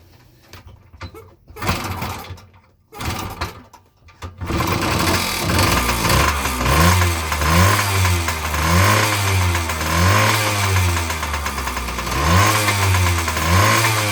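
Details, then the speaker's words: 1977 Yamaha GT80 two-stroke after CDI conversion, first start: a few kicks, then catches and runs crisply, revs rising and falling smoothly about every second and a half; normal running and revving. "ah there you guys have it I put a little bit of fuel to it so I can fire it up Ron's guy the runs are really really nice"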